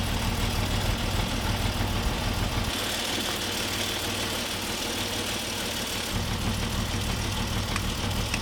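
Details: Peugeot 605 3.0 V6 PRV, after a difficult push-start, nearly stalling: uneven idle with a stumbling low beat about three per second, dipping midway as if to stall; rough running, cause unknown.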